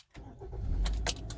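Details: Car with intermittent no-crank (battery and starter good): after shifting into drive and back to park it cranks briefly and starts promptly, settling at idle; suspected shift cable, grommet or neutral safety switch fault.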